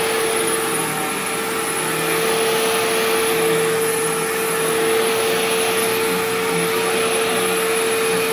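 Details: Sharp Twin Energy vacuum cleaning living room: steady piercing high whine over even suction rush; owner notes it faded after running a while and partly returned after shutoff, cause unknown.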